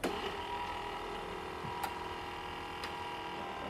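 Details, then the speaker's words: 1989 Chrysler TC by Maserati project car that has sat for a long time; the starter/fuel pump relay appears not to be working. A steady low electrical hum with faint fixed tones and a couple of clicks appears at first key-on; cause unknown. "I don't know what that noise was the the humming noise whenever I first went to Keyon we're trying to figure that out"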